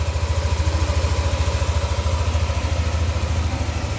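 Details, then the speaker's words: Yamaha NMAX V2 scooter after repair of a rough, noisy engine: steady, even idle pulsing about 3.5 beats per second, low and smooth with no rattle or knock; now quiet; normal idle. "Yan na. So tahimik ba? Yan. So yun yung tunog ng makina ng NMAX version 2 ni sir."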